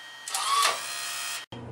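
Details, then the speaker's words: Fujipla ALM-series auto-laminator cutter unit after clean, lube and wire-tension adjustment: short, even motor whir with a steady hiss that runs smoothly and stops cleanly; cutter now operating efficiently and healthy. "all right let's listen to the cutter again it sounds really good so much more efficient than the way it was"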